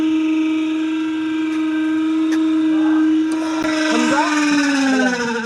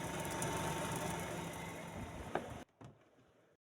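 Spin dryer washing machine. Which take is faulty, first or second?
first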